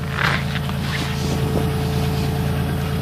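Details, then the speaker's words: 3.1/3.4 V6 idling after head gasket job, flashing check engine light, codes cylinder 6 injector circuit open and cylinder 6 misfire (P0306): rough idle with a faint uneven stumble under wind noise, cylinder misfiring; injector harness suspected. "So, I'm going to start it up real quick. Running kind of rough."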